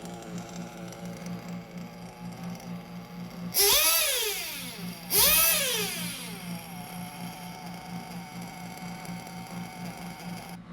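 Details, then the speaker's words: 1/8-scale RC nitro engine being carb-tuned after leaning the low-speed needle: steady buzzy idle sitting a bit fast and never settling low; idle too high, so the idle gap is to be reduced. "can you hear the idol is a bit high so i think i'm gonna lower the idle"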